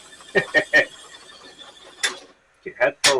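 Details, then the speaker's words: Sony VO-5800 U-Matic VCR during rewind and fast forward with new underside belt: sharp high chirping squeals in short irregular bursts as tape winds; transport slipping and struggling, idler tire needs cleaning. "fire up again making that extremely weird noise okay see how it does rewinding and press foring now"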